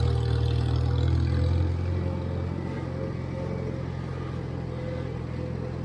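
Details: 1958 Farmall 350 tractor driving after carburetor and fuel-tank flow fix: steady low throb easing after a brief pull then holding even, no misses or stumbles; runs healthy.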